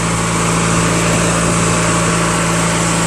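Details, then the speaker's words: Craftsman LT1000 lawn tractor, 21HP opposed twin, first drive after engine rebuild with new drive belt, automatic transmission; steady even drone, no knocks or misses, runs smooth and fast. "runs so smooth, man. So fast, too."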